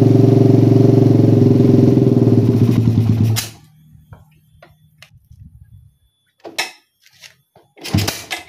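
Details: Motorcycle with a PWK carburetor and racing exhaust after curing the helicopter-style stutter (brebet) by resetting the air screw to about 2.5–3 turns. Even, steady idle for about three seconds with no hunting, then switched off: normal idle.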